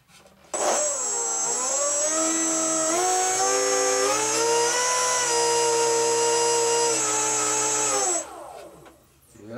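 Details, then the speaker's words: GWS Formosa RC plane electric motor, after swapping two wires to correct reversed rotation, at full throttle: spins up to steady high whine, holds pitch, winds down cleanly; normal motor with lots of thrust. "Yep, that's going to have lots of thrust."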